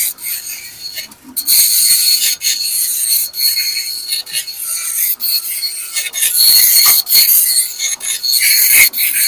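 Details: Epson LQ-2190 dot matrix printer after repair, formerly beeping alarm with no movement: high raspy buzzing in line-length bursts with short gaps as head travels; printing normally.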